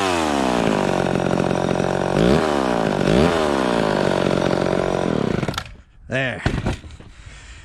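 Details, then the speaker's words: Vintage two-stroke chainsaw after richening the high-speed mixture slightly, cutting wood. A crisp scream sags briefly as the chain bites, then recovers cleanly; it cuts properly and runs happier, safely a little rich rather than lean. "seems right to me it was it was cutting okay the first time but then i rich ended up just a little more on the high end and it seemed to be a little happier there"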